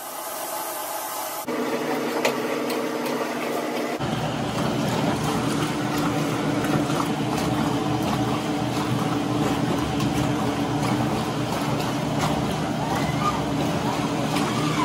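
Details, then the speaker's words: Maytag washing machine after repair, taken apart, blown out with compressor and vacuumed, then reassembled: steady even churn and water swish with low hum, no squeal or squeak; running smoothly. "Fixed it. No more squeak."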